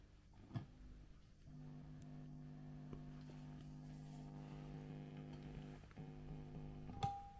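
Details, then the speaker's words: Hiwatt 100R Trinity valve amp after repairs, with all controls turned down: steady low hum with faint ringing and sharp pops, traced to a microphonic first preamp valve (V1) rather than its socket. "move that tube so is that the tube or is that the socket and it is that tube"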